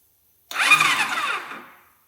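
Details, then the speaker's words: Honda C50 freshly fitted with a Zongshen Z190 engine, first crank from the handlebar button on a battery booster, no oil or fuel yet: short whirring crank of about 1.5 s, engine spinning freely without firing, no smoke; starter turns it over fine. "All right. Oh, I didn't see any smoke and it turned over. So, that's good."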